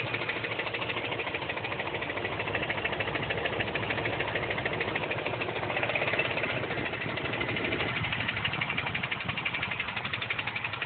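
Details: 2004 Dodge Durango at idle: steady idle with a light, fairly even tick-knock riding over it; owner wonders if broken rod or exhaust, source unconfirmed.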